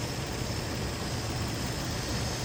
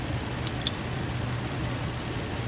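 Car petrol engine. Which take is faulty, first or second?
first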